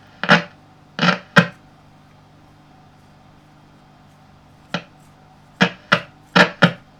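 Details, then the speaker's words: Three-valve kitchen valve radio, Healing 412e (Philco-licensed, 1963–69). Loud, harsh crackling bursts come in irregular clusters over a quiet hum. The tuning capacitor plates are touching and shorting; contact cleaner made it only slightly better. "Slightly better, but it's still shorting."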